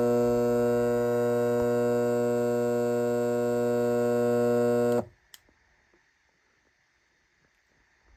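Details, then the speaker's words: Lasko fan with the blades removed, switched on: a loud, steady, coarse low buzz like a garage door opener's AC motor, lasting five seconds and stopping at switch-off. The fan motor hums harshly without blades. "That's the sound for it. It kind of sounds like a garage door opener AC motor buzzing when the blades are not attached."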